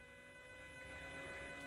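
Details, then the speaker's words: 2006 Ford Escape Hybrid, first start after sitting about two months with the batteries disconnected. A steady electric hum winds up as the electric coolant pump circulates fluid to cool the high-voltage electronics, which shut down if overheated: normal coolant pump hum. "that is the pump and that's pumping fluid through the transformer"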